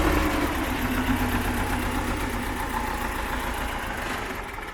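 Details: Belarus 250AS tractor, two-cylinder air-cooled high-compression diesel, 12 volt, after swapping to 3/0 battery cables to cure slow hard cranking: catches and settles into steady even idle without stumbling; normal start and idle.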